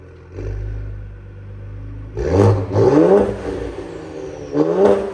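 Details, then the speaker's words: 2020 Ford Explorer ST after failing flex pipe replaced (was rattling); smoke is WD-40 in the exhaust. Idle then two clean sharp blips, deep raspy exhaust with no rattle or buzz; normal exhaust note. "Sounds good. Again, don't worry about that smoke. WD-40 in the exhaust and stuff."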